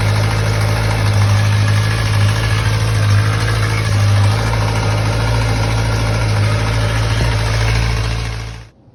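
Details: 2011 Kawasaki ZX-10R (Gen 4) inline-four idling: loose metallic chatter over a steady hum from cam chain tensioner rattle; fixed with a PSR cam chain tensioner.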